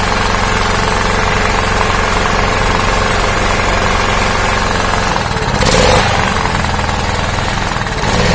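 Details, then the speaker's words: Honda GX160 engine on a 2000-watt generator, after fixing the ignition coil-to-magnet gap that caused hunting: small single-cylinder engine holds an even, steady thump with no rising and falling; normal steady idle. "kita teh sekali lagi temen-temen udah teman jadi jelasnya sudah normal tidak naik turun naik turun aja ya kita matikan dulu mesinnya"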